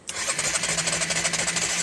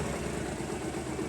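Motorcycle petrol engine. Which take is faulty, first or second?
first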